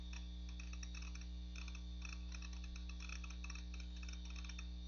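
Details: Macintosh PowerBook 520c (25 MHz 68LC040, Mac OS 7.5.5) booting from its 240 MB 2.5" SCSI hard drive, possibly IBM: quiet, uneven ticking about three per second over a steady low hum. The drive sounds like it is struggling and may fail soon.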